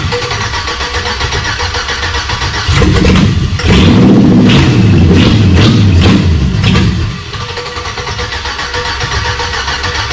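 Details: Chevy V8 swapped into a Jeep Comanche cranks, fires, and revs roughly for about four seconds on starter fluid, then falls back. It won't run otherwise despite confirmed fuel pressure.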